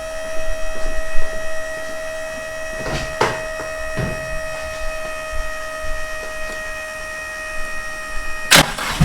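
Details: Nissan Hardbody D21 drift truck project, first start after replacing a failed AEM fuel pump with a Walbro 255: cranks briefly, catches and settles into steady idle with faint constant whine; starts and runs normally.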